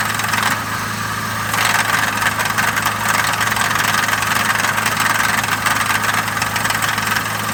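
Steady idle with a light, fairly quick ticking riding over it, around three or four per second; possible knock, cause not yet clear.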